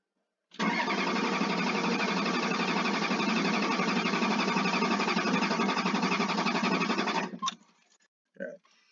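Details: 1994 Chevy Blazer 6.5 diesel, no-start, monitored with GMTD scanner, lots of smoke: about seven seconds steady cranking at roughly four turns a second, never catches; owner suspects injection pump, pulling intake to inspect the back of the pump.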